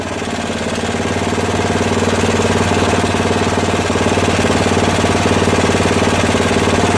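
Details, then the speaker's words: Craftsman rear-engine tractor, 13 hp Tecumseh OHV single-cylinder, after valve repair and carburetor adjustment, hot: lumpy uneven chugging about four beats a second with a loose knock and slight clatter; runs rough, cause unconfirmed. "so so it's idling well it's adjusted enough for now i hear a little clatter"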